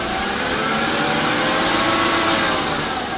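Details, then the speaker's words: BMW E36 328i idling: faint thin whine over hissy background from a brand-new remanufactured power steering pump that is still noisy; cause unclear, a low-mileage genuine pump is to be fitted and the system flushed. "So, I think there will be a little bit of improvement in the handling. You can hear that my power steering pump is a little bit noisy."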